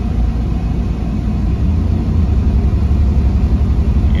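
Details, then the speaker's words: 1997 Chevrolet Camaro RS, 3.8L V6, climbing a hill under load: heavy, uneven, stumbling, sputtering rumble with the car vibrating. Misfire shows below 2000 rpm; originally P0305, it followed the swapped coil pack to cylinder 3. Coil pack found cracked. "let's go take it for a ride and see what happens okay we're back up on the road we're gonna go up this hill and give us some gas let's see if it misfires like it did before yep it is really sputn"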